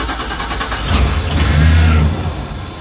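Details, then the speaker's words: Chevy van towed in dead on the road: cranks evenly, then catches and revs on propane fed into the air intake snorkel, dies when propane removed; spark and compression good, battery and codes fine, fuel delivery fault, possibly pump or wiring. "so you can see this is a fuel problem this me the ignition system is good mechanically it's sound this is a fuel issue"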